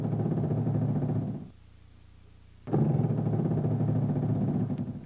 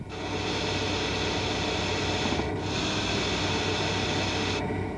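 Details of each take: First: Hydraulic (HPS) power steering turned lock to lock at idle or low rpm: two spells of a low honking groan with vibration felt in the wheel. Shudder, possibly from pressure hose restrictions or low hose expansion, unconfirmed. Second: Hydraulic power steering: steady high hiss like a tyre slowly deflating over a low hum, most evident when maneuvering stationary; inherent to the rotary valve from fluid passing valve orifice edges at speed, not a fault.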